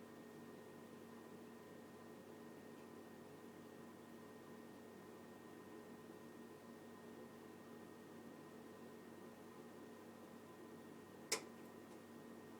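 Quiet steady hum, then one sharp loud click near the end; the boiler is clicking, cause not yet known.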